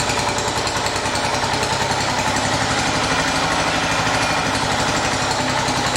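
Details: 1980 John Deere 212 single-cylinder engine after crank seal replacement, cold day, run to check for leaks: steady speed, slightly uneven beat but no knocks; normal running.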